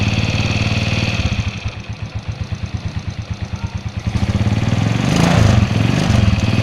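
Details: 2004 Suzuki Shogun 125R; clutch plates, clutch housing, cam chain and its rubber were replaced a year ago. An uneven ticking chatter of about four beats a second rides on a lumpy idle and rises with the revs. An abnormal internal engine noise, source unknown.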